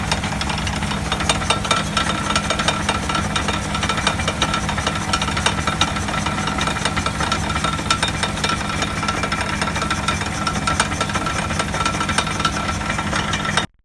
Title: ハブベアリング異音 サウンドスコープ診断